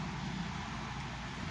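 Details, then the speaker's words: 2011 Chevy Malibu at idle after repairs for multiple misfire codes and stuck-open cylinder 2 and 4 fuel injectors: a steady, even hum with a low drone and no stumbles, no warning lights, no misfires; normal idle. "no lights come up not misfiring i mean running smooth sounds good too"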